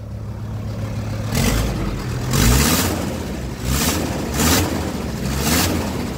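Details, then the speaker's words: VW Crafter diesel: each throttle blip brings a sharp blowing hiss that swells with revs and dies at idle; suspected exhaust leak from a cracked EGR flex pipe running from the exhaust to the EGR cooler, later brazed. "Стал выдувать выхлопные газы. Или что-то с надувом. Короче говоря, подозреваю, что это опять трубка гофра, которая идет с глушителя на ЕГР."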